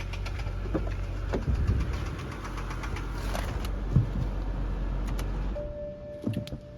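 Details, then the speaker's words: 2011 BMW 328i xDrive (N51/N21) at cold idle: an uneven, intermittent knock about four hits a second that comes and goes, seeming to come from the back of the engine. Top-end VANOS was suspected at first; the engine was later confirmed to have spun bearings. "hey it started up so that the sound it almost sounds like like a piston hitting the head like it was a bottom end bearing i can tell by it's inconsistent it's like all over the place sometimes it goes away sometimes it comes back"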